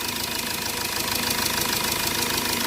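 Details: Hyundai Verna at idle: fast, steady metallic chatter rides over the idle without letting up. Timing chain rattle suspected, not confirmed.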